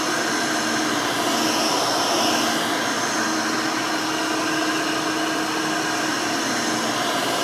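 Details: Rebuilt Hoover Elite 600 upright vacuum, built from parts of several Elites, with a new 7 amp motor and 20-blade fan replacing the original 6 amp: a smooth, steady motor whine at even pitch with no rattle, scrape or wobble. Healthy and fairly quiet.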